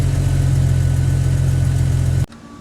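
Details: Jeep Wrangler YJ after tightening the fan belt, which previously squealed on startup: steady even low idle with no squeal or chirp, voltage jumping straight up, running smoothly until shut off; belt ribs show no cracks.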